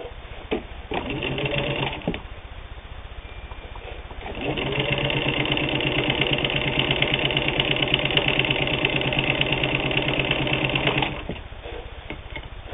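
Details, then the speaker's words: WWII-era Singer 15-91, internal can motor and worm gear drive, sewing thick split leather; fast even needle clatter about three stitches a second at steady pace; running strong, healthy. "Then I'll double that to make 8 layers. No problem at all sewing 8 layers of denim."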